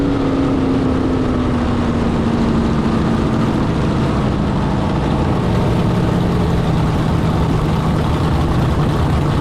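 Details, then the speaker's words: Carbon fiber jet boat with rebuilt 632ci Big Block Chevy, after electrical fixes, no launch profile: loud, strong, even roar at high revs under full load, no cutting out or stumbling; normal full-throttle run. "Dude, this sounds so much better now. She's happy."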